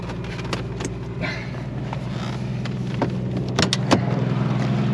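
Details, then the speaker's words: 1984 AMC Eagle started after sitting about a month and a half: idle sits fast and climbs a little, with sharp puffing ticks about three a second; bad exhaust leak and unexplained high idle, but it runs. "So as you can hear, it has a pretty bad exhaust leak, and the idle's like really high for some reason, but it still runs."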